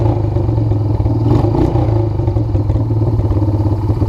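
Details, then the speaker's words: 1997 Honda Fourtrax 300 4x4 ATV, water damaged, rear differential suspected bad; engine idling with choke position noted, even low-pitched smooth idle without surging, knocking or stumbling; carburetor judged fine; normal idle. "i don't even think i gotta mess with the carburetor yeah i think it's pretty good"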